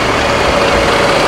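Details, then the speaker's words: Adhi Prima sleeper bus diesel idling at a rest stop on the Palembang–Jakarta trip, recorded at the open engine hatch: steady, very smooth continuous rumble with no knocks or misses. "Suaranya halus banget dong mesinnya. Ketutup suaranya sama suara ini mesinnya Sari Harum. Ini halus banget mesinnya."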